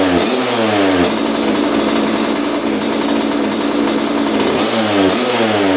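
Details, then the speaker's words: 1986 Honda CR125 two-stroke after adjusting air screw about four turns out: revs climb and fall crisply off throttle with slight breakup; 62 pilot jet too big, pilot circuit running rich. "all right that sounds a lot better you can see right off the throttle it's really crispy so it was definitely the pilot jet so we are like four turns out on the air screw so that's allowing more air to come in what that tells me is that the pilot jet is too big uh for this bike right now"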